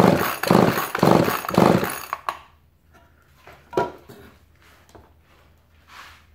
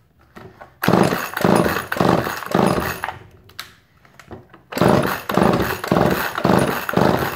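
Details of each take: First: Chainsaw with torn fuel line temporarily reconnected, choke on: three quick pull-cord rasps about a second apart with no firing; engine flooded, fuel visible. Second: Chainsaw with sawdust-caked bar cover, earlier flooded, running on slight choke with a suspected fuel line leak up top: sharp crisp rev bursts about two per second with clean drops; runs healthy.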